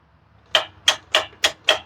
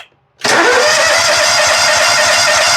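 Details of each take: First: Exmark zero-turn mower, Kawasaki engine with crank-no-start, key on, engine off: six crisp clicks about a third of a second apart from the fuel shutoff solenoid under the carburetor; solenoid working normally. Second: Exmark zero-turn mower, Kawasaki engine: steady fast cranking for about five seconds, never fires; fuel pump delivers no fuel, so it will not start.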